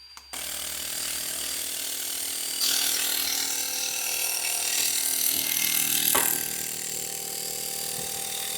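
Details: Bigger fuel injectors for a twin-turbo bobber, held in the fuel rail with slotted washers and zip ties, fired on a tester: rapid, even clicking at three to four per second over a hissing spray; the spray pattern is acceptable and flow is roughly double.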